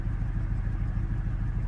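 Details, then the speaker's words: 2015 Mustang GT 5.0 V8 on a second episode: a lumpy, stumbling rough idle with check engine light on, abnormal boost/vacuum, air-fuel ratio near 20 and a strong rich smell; it restarts hard but then runs fine. "this is the second time my Mustang has done this it's idling extremely rough and uh the check engine light is on"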